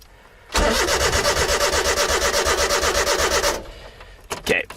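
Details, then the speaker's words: Honda Beat kei sports car after five days of work (new fuel pump, lines checked, evap canister cleared, fuel filter checked, fresh gas, good battery): even brisk starter cranking but engine never fires; owner suspects electrical rather than fuel. Crank, no start. "after 5 days of swapping the fuel pump checking all the lines clearing the evap canister checking the fuel filter got gas in there batter's good it's probably not fuel"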